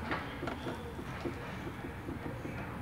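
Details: Space Cross rear end rocked: rhythmic creak about three or four a second, from a stiff handbrake cable and loose handbrake lever bolts; cable to be lubricated or replaced.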